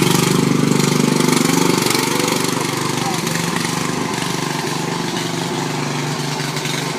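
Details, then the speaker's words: Riding mower single-cylinder engine, cleaned of water and given new oil, started by jumping the solenoid with choke: loud raw bark at about three pops a second, fading slightly. The poorly attached muffler leaks exhaust and backfires. "The muffler is not really attached all that right, so it's really loud, it backfires, and the wheels aren't really attached."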